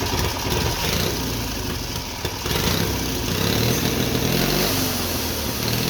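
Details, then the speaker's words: Twin-cylinder Briggs & Stratton engine on a mini bike, first start after a quick carburetor rebuild, homemade black steel pipe exhaust, hard lazy crank; putters at a steady idle, picks up cleanly on quick throttle blips and settles back; runs well. "not bad man it runs good I can't believe how good that runs honestly"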